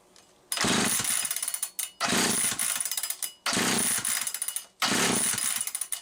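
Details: Homelite 360 chainsaw that would not run consistently, with a misaligned carburetor bushing: it fires into a harsh high rev about every 1.5 seconds, then sags and nearly dies each time from fuel starvation, with fuel spurting out the top.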